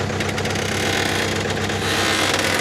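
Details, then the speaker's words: Jeep off-road with 35-spline axle, backing up slowly after breaking on the trail. Harsh rough grinding rides over the drivetrain; suspected broken rear axle shaft. "well i'm going to try to back it up and let's see how grindy it sounds huh that sounds like shaft to me"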